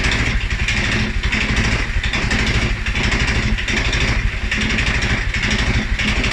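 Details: 2011 Polaris Sportsman 550 XP after riding or revving: low, lumpy single-cylinder idle, uneven about eighty a minute and hunting; dealer found TPS, IAC, TMAP in spec; valves, timing, plug and 43 psi fuel pressure fine, cause unknown.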